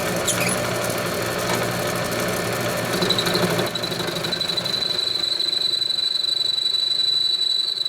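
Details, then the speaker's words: Homemade all-steel lathe after new headstock bearings and spindle, turning round stock: high steady ring near four kilohertz builds and holds during the cut; chatter ringing, absent on face cuts. "Little bit of ringing with that. That's unfortunate."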